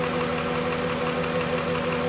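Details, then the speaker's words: Cold 3.6 Pentastar V6 at idle, not run for a while: steady idle with a light, fast top-end tick; cold-start tick possible, owner suspects bank one rear cylinder head valvetrain, e.g. broken rocker arm. Not confirmed. "as you can hear this engineers ticking I highly suspect it's in bank one real cylinder head"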